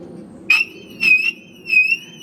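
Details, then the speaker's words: 2006 Mercedes W211 E350 4matic alarm siren motor failed: only thin, high chirps, three short ones about every 0.6 s, and it won't stop; no three beeps on lock/unlock. "you can tell that's [Music] broken it's not stopping"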